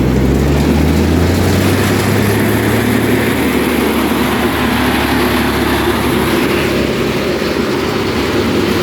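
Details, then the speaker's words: Chuck n Duck chipper warmed up, drum engaged with engine bogging slightly; loud steady coarse clatter and rattle that sounds terrifying but is normal for this machine; normal running under load. "it sounds terrifying all right rattles really bad almost sounds like it's gonna blow up all the time you gotta kind of get used to it"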